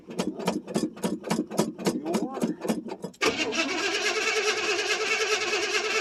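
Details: 1979 Chevrolet C10 Bonanza Big 10 with 305 two-barrel V8, cold start after sitting about a month or more: about three seconds of rhythmic starter churning before it catches and settles into a steady idle; extended cranking.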